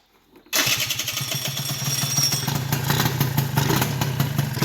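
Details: Old Honda Elite scooter's first start after the dead stock ignition was replaced with a new stator and pickup. It catches after a quiet moment, then a steady buzzing idle with a fast, even putter: normal running.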